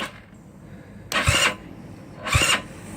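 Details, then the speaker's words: GY6 scooter with high-compression engine and new Shin Yea high-torque starter, battery only about 12.04 V with jump starter: two short, sluggish cranking bursts that bog down at once. Slow cranking from a low battery. "just dropping too much it's not withstanding the battery and the jump starter here it doesn't have a full twelve point volt charge to it"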